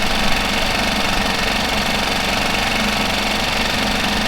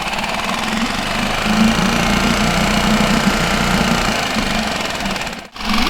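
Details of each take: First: Mercury 5 hp four-stroke outboard idling steadily with even busy clatter, no misses, after a fuel pump replacement meant to cure loud ticking after submersion; the decibel meter showed a slight drop. Normal idle. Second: Mercury 5 hp four-stroke outboard after being submerged, running before replacement of its mechanical fuel pump, during a decibel test: busy tick of three to four a second over the engine; owner suspects the fuel pump. Loud ticking.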